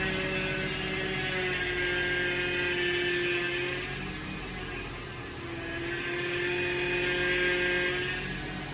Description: Whining noise while turning the steering wheel. The steering fluid was leaking and it stopped once I added more steering fluid.